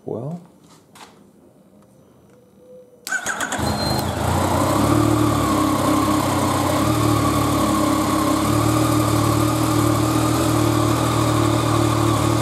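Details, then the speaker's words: Yamaha FZ-09 motorcycle just fitted with a new Battery Tender lithium iron phosphate battery replacing the lead-acid one: starter catches almost instantly into a steady, even idle, charging 14.2 V; normal start and idle. "okay sitting here at idle the charge voltage 14.2 so that's pretty good"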